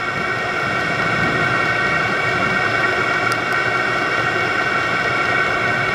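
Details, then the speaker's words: VEVOR 27,200 BTU diesel air heater turned up from setting 2 to 6, its maximum, during first startup: steady, even fan and burner roar with a constant hum and no surging or sputter. Normal full output. "I'm going to increase it's on two we're going to K it up a little bit just kicked it up to six"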